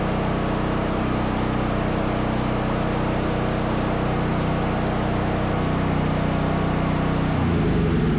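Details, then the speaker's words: Brand-new Duromax 13000 generator after a new choke stepper motor and spark plug: second successful start, steady, even drone with a smooth rhythm and no pops or backfiring. "well that's two successful starts I call those a success"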